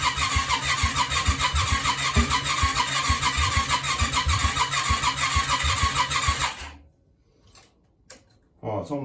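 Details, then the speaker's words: Yamaha Virago 535: the starter churns steadily at about two beats a second for six seconds without catching; cranks but won't start. Something is not right, followed by a large fireball. "oh sounds like she wants to go something's not something's not quite right leave it with me a second leave it with me a second"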